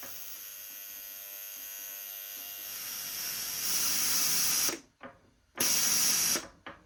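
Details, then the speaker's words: Polti Vaporetto 2400 steam cleaner after its solenoid valve was cleaned and rebuilt: fine steady electrical buzz under the steam hiss before steam bursts. The solenoid buzzes when the control valve is nearly closed; the repair otherwise succeeded. "So if it's closed too low, the solenoid was buzzing there. Try shutting that valve again. The solenoid doesn't seem to like it being almost closed."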